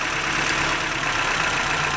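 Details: 1993 Toyota pickup 22R engine, TPS just plugged back in, previously high or surging idle: idle comes down and settles steady and even with no hunting; fast idle valve found faulty and to be replaced; normal idle.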